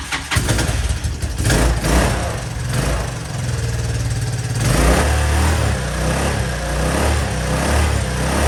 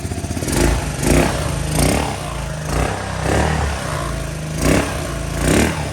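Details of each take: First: Honda Helix scooter bought cheaply at auction, first start attempt with fresh fuel, new pre-filled fuel line, fuel in float bowl and carb: fires, then stumbles with an uneven, sagging idle nearly stalling before it catches and keeps running. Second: Honda Helix scooter after fresh gas, a new pre-filled fuel line and fuel put in the carb, first start: low, steady single-cylinder putter with mild rhythmic surges that keeps running on its own; normal idle.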